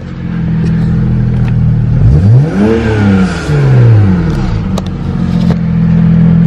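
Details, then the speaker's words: 2007 BMW 335i E92 with N54 engine, new VRSF catless downpipes, chargepipe and HKS blow-off valve, revved in park: engine rises and falls with a faint tinny rattle in the exhaust note; source not found, owner suspects it occurs only in park. "crazy something's a little bit rattling I got to figure out what it is but I think it's always because it's in park"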